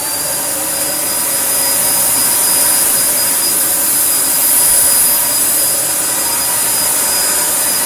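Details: Filthy Dyson DC01 Breakthrough limited edition, 1000 W motor, unused 15–20 years in a car workshop: steady high-pitched motor whine with strong, unwavering airflow rush, no rattle or surging. Works surprisingly well, though it can't pick up loose glass. Normal running.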